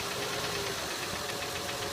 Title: acura mdx engine ticking noise sounds